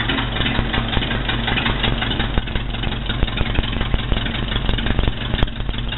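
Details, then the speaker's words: Rebuilt Ford Model B diamond block engine with four new pistons, rings, valves, head and pan gaskets, exhaust plumbed outside: slow, even idle putter with no knocks, ticks or misses; normal idle. "so I've had it running I've got it exhaust plumb to the outside here and I'll start it up and let you listen to it"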